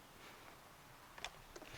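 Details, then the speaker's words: Toro Wheel Horse 1238XL lawn tractor after carburetor replacement and gas tank cleaning, key on: two sharp clicks, no cranking; battery has power, owner then jumps the solenoid. "so look we got the key on and it you can hear it clicking but some noise bad but it's still clicking see but we have power"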